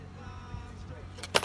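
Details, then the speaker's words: New PCV valve for a 2008 Kia Sportage with rough idle and stalling, shaken by hand before installation: quick metallic click-rattle, free rattle showing the valve is good. "and yeah it looks like this you can already hear it's a good one it lets like air and the right amount of fuel come in"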